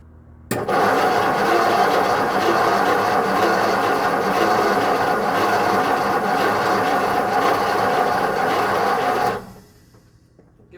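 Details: 1956 Ford Customline with a 272 cu in V8 revived from seized, oil overfilled, cranked in neutral; smoke seen, thought to be from the voltage regulator, on an earlier try. The starter spins it over steadily for about nine seconds with an even whirring churn, but it never fires.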